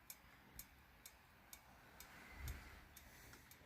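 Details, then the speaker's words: Royal Enfield Himalayan 411 with a hard-starting fault that worsens warm: light metallic tick-ching about twice a second over a faint hum, near the catalytic converter or just above it; cause unknown. "And there is also this slight ticking. I don't know if you can hear it. Sounds like it's coming from the cat. I won't touch it. Or just slightly above. It's kind of a ticking with a little ching, like a tick ching."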